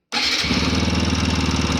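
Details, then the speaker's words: TVS Apache RTR 160 4V at about 40,000–41,000 km, reassembled after tappet suspicion: single cylinder idles with a steady hollow metallic knock on every beat from the head area; piston slap, worn piston, engine rebuild needed. "So S I told you I am confirm कि इसका piston slab हुआ है। मतलब piston इसका खराब है।"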